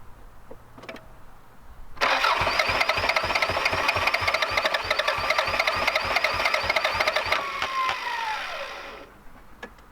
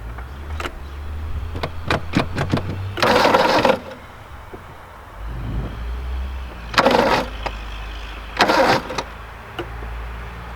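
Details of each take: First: Vehicle with half-full tank of fuel from 2015, cranked after spraying something in the intake: steady cranking about three turns a second for seven seconds, never fires; close but won't catch, owner suspects bad fuel, fuel pump not heard. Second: Engine turning over freely and evenly in intermittent cranking bursts before fuel is added, no fire yet; intake is rubbing on the alternator; normal cranking.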